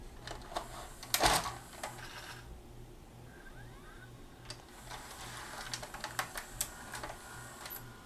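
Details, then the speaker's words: Magnavox ZV427MG9 DVD/VHS combo, VCR mode, tape loading: clicks and clatter over a steady motor drone as loading motor keeps running after loading, then shuts down; dirty mode select switch, also shorted 220µF 6.3V capstan supply capacitor. "and it loaded but the loading motor is continuing to run and it shut down another indication of a mode select issue"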